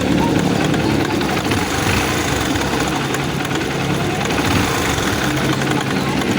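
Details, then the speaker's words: Honda TMX Supremo single-cylinder motorcycle idling with a fast, loose metallic clatter from the head; timing chain found stretched and tensioner faulty, with a manual tensioner fitted. "Okay merong part na lumalagutok so ito yung iche-check natin saring Inay niya Ayan"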